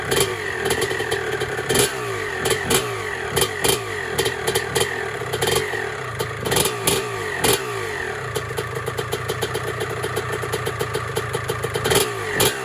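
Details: 1996 Honda CR250 two-stroke, carburetor rebuilt and jetting returned to stock, first start before restoration: crisp ringing crackle with repeated sharp throttle blips, picking up cleanly without bogging; engine runs healthy.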